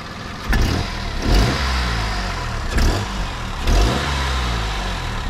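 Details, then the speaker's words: Peugeot 107, morning cold start: rough, uneven revving surges with some clatter underneath; owner fears engine damage, cause not yet pinned down. "dann habe ich gestartet dann kann komische geräusche auf jeden fall also ich lasse euch die geräusche hören"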